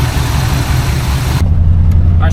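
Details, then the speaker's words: 1986 GMC square body first started after nearly 10 years off the road, with new thermostat, inline fuel filter, plugs, wires, battery and fresh gas; after a rough catch it settles into a low, steady, even idle, no fuel-line leak: normal idle. "all right okay we don't have a leak from the fuel line that's good that fuel actually looks pretty clean"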